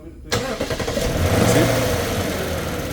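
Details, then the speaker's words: 2007 Lexus LS460 V8, being diagnosed for no crank, no start, stalling and no engine-computer communication, cranks briefly with a sensor wire jumped to the 5 V reference, then catches quickly into steady, even running with no stumble; clean sensor wave. "the car is start and this a clean wave"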